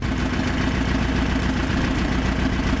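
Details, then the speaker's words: Forgotten air-cooled V4 engine swapped into a motorcycle, test run after the swap: steady, even low-pitched beat at idle with no knocking or rattles, oil pressure about 3.5 bar, good; normal running. "Few test runs showed us a nice oil pressure, and we can see it has about 3.5 bar, which is good."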